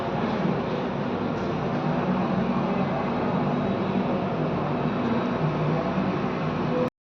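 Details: Air conditioner compressor: constant low droning hum under a dense rushing wash, with no rhythm or pitch change. Compressor humming noise.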